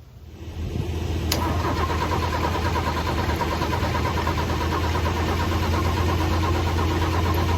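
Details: Chevy S10 2.8 V6 after a new distributor, following fuel pump, relay and coil pack swaps, cranking steadily and evenly for several seconds but never catching or firing; crank no start persists.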